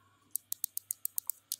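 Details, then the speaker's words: DragonWar Thor ELE G9 gaming mouse, previously double-clicking, after button spring tension adjusted and board snapped back on: crisp clean single button clicks with no chatter or double tap; normal click. "so you can test the clickiness pushing the button so you can probably hear that"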